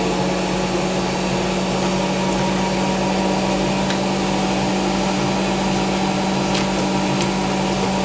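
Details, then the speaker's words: Hotpoint BIWDHG75148UKN integrated washer dryer at full spin, thought to be about 1400 rpm. Constant smooth whir with a steady low hum, no thumping or grinding; normal high-speed spin. "It sounds good. two, right? Interesting. I think that's like 1400 now."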